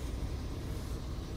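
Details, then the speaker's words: 2004–2009 Toyota Prius Gen II 1.5L hybrid, engine warm after 15–20 minutes running, fan off while bleeding coolant: steady low idle rumble with no gurgling or popping air bubbles, heater core bled, normal circulation. "and I don't really hear any clapping salads but if you do hear any clapping sounds that means that you still need to continue bleeding"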